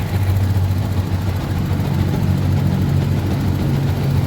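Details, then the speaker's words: Yamaha Jupiter MX motorcycle: low steady idle continues without stumble after the ignition key is turned off; engine runs on due to human error in how the ignition was installed. "Off. The ignition is off, but the engine is still running."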